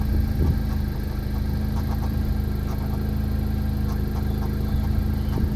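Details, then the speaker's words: Tuned 2018-2020 Honda Accord (~220 whp, full bolt-ons) with CVT failing at 40K miles, check engine and transmission error on: at idle, heard from outside, faint steady low whine over engine hum; CVT belt suspected. "so from the outside you can kind of hear the belt of the cvt whining and this is just an idle"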